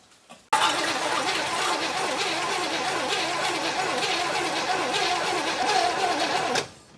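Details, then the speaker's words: 1964 Chevy Impala sitting almost 50 years, fresh battery, Marvel Mystery Oil added: starter spins the engine at a steady even whirr for six seconds, no binding, knocks or grinding; oil pressure light goes out; turns over freely. "sounds pretty good our oil pressure light went out on the dash"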